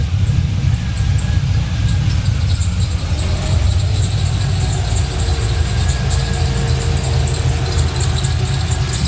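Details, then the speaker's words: LS-swapped Datsun 280Z, warmed up with coolant at 135 degrees, at idle: a steady high squeal over a smooth V8 idle when the A/C is turned on. Belt squeal under A/C load. "here it goes here the squealing now when i turn the ac on it squeals a lot"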